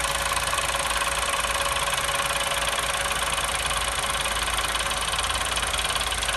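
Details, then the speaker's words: New Chevrolet Onix on a cold start: fast, tinny metallic rattle, three to four taps a second, over a steady idle, like a can banging in the engine; so far noticed only when cold. "e pessoal tava falando aí globo barulho de lata batendo motor na hora que a gente fez"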